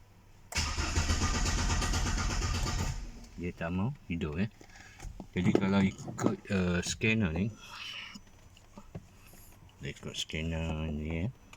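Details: BMW E90 with N46 engine; starter cranks steadily about two and a half seconds but the engine never fires. Crank-no-start with fault code 2F44, immobilizer system error, read with BMW INPA.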